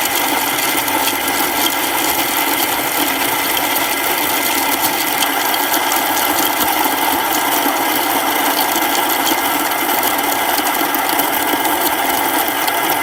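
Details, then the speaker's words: Baratza Encore coffee grinder after repair, clogged chute cleared and burrs cleaned: steady, even high-pitched grinding with constant motor note, no stalls or surging; grinding normally. "And so everything's working really well now. So let's try it."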